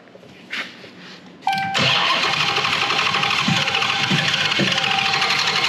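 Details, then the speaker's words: 2021 Hellcat Redeye V8 removed for a test-fire, no cooling connected, no gas in it. Starter turns the engine at a fast, even beat but it never catches; crank no start, out of fuel (fuel added afterward). "Well, that's fine. Stuff happens. Sometimes it doesn't fire right up. It needs fuel. So it needs fuel."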